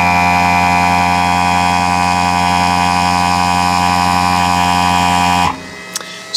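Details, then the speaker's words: Porsche 991 Cup race car at ignition, dash on: steady even electric buzz of constant pitch until it cuts off; the air-operated (not hydraulic) gearshift pump and cooling fan running normally. "c'est la pompe qui permet le passage des rapports c'est une pompe qui est c'est tout basique mais c'est comme ça que fonctionne ce genre de voiture c'est pas quelque chose d'hydraulique c'est c'est de l'air et le ventilo que vous entendez c'est le ventilo qui permet à cette petite usine à gaz de refroidir"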